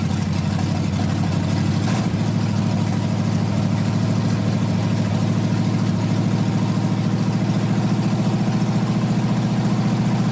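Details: 1980 Dodge short-bed truck big-block V8, first run in 14 years, during cam break-in after converting from points back to factory electronic ignition; runs fast and even with a firm steady beat, no misses or knocks, normal running.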